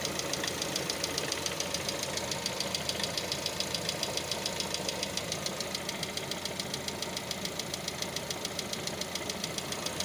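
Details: Lada Vesta: fast, even, light ticking over a smooth idle that keeps time with engine speed, from hydraulic lifters. It knocks while warming up in warm and cold weather and periodically disappears once the engine is warm.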